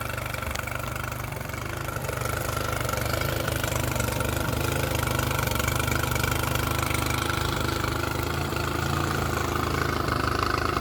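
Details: Mercury 9.9 outboard back after about 8–9 weeks of repair with parts from abroad: settles into a steady, even idle with no misses, knocks or hunting.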